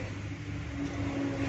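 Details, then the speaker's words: Honda City automatic (i-VTEC): idle drops when shifted to D and falls below 500 rpm in R instead of rising to 900, giving a low, labouring drone, heavy vibration and a rough gearbox noise. "ini malah turun kalau dioper kedai apalagi kalau udah pergi er atau diposisikan mundur ini RPM dibawah 500 akibatnya getaran tinggi guest"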